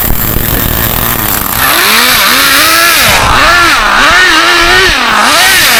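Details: Acme Condor Pro A3001T 1/10 nitro RC buggy, circa 2002–2005, unrun for almost 20 years, engine preheated, throttle trim quite high: high buzzy note rising and falling cleanly with each throttle blip, no misfire or stumble.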